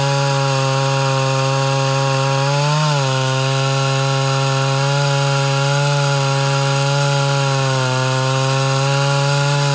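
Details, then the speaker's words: Mildly ported Homelite Super XL Auto chainsaw cutting dry wood: high steady scream dipping briefly under load; slightly lean mixture, confirmed by spark plug test. "hmm so i shut it off like that to uh do a spark plug test and it did end up showing just a slight lean"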